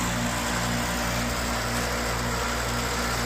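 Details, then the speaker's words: Amana AC condenser freezing up, compressor running but fan not turning until pushed, then not at high speed: steady low compressor hum with a weak, slow fan whir over it; likely a failed fan capacitor, replaced afterward. "It looks like the fan will kick on, but maybe not at high speed. But you can see it's starting to defrost."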